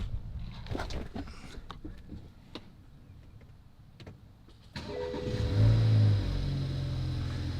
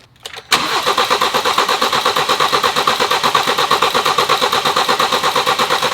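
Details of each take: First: First start of a BMW with a refreshed junkyard replacement engine, new timing chain kit and all new seals, after 2 years off the road. It catches cleanly into a smooth, steady idle with no codes or smoke; a slight rattle in the bay is believed to be the regulator. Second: BMW with replacement junkyard engine and new timing chain kit, first start after two years: steady even starter cranking that never catches; fuel reaches the rail, no codes, apparently no spark.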